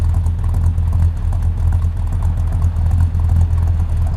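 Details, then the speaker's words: Route 66 Buick V8 with a small cam, idling after a coolant refill with an exhaust leak present, AC on: compressor load drops idle about another 200 RPM, giving a deep, uneven, loping idle that pulses and stumbles. "it sounds so much nastier with the AC on and it loaded up on the compressor cuz it idles down like another 200 RPM"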